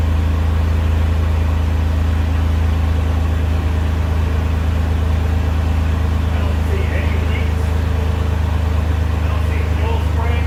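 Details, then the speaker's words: Ford F100 project engine at idle with no exhaust fitted, first start after installing the MAP sensor; no power steering pump whine heard. Smooth, steady low idle with an even beat and no misses: normal healthy idle. "i like it so quiet when it gets hell it's quiet at idle with no exhaust no exhaust on it right here this thing running then that's great"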